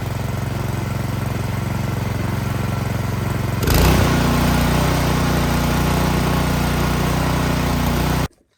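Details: Troy-Bilt Storm 2660 26-inch snowblower after carburetor cleaning to cure bad surging, fully choked with the primer line disconnected: it fires, holds a steady beat without rise and fall, then shuts off cleanly; no surging.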